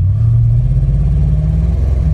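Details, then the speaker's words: 2001 Toyota Sequoia, about 250,000 miles, warmed up (misfires only when warm), P0300-series code: deep rumble stumbling unevenly at half throttle, fine at light throttle; cylinder 1 misfire from a failed ignition coil. "watch when i go like half throttle the check engine light will probably come on that's definitely a misfire here it's chugging along it's cylinder number one is not working"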